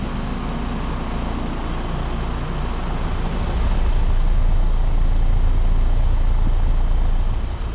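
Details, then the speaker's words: New Trane Choice 15 5-ton heat pump from August 2025, apparently LG scroll compressor, outdoors at 93°F; steady low hum with deep pulsing drone, no clanks or rattles, suction line ice cold; normal operation. "Sounds like it has an LG scroll compressor. And this unit is a 5-ton from August 2025. And it is a heat pump."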